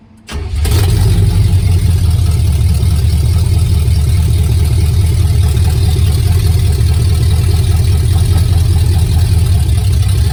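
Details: Project truck with new healthy engine and old transmission, open headers, starts within a second into a loud, deep, even idle with no misses or knocks; normal start and idle.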